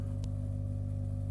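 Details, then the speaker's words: Baxi Ecogen CHP unit's small generator engine making household electricity in winter: a steady low hum with an even, fast pulse and no knocks or rattles, normal healthy running. "humming, that's the engine. That's the engine that's generating our electricity."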